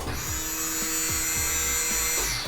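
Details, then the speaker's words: Jeep CJ-7 with an early LS swap (Vortec 5.7 350), sat about 20 years, with a new fuel system. At key-on the pump gives a steady high buzz for a couple of seconds and shuts off on its own with the regulator: a normal prime. "It shuts off on its own with the regulator."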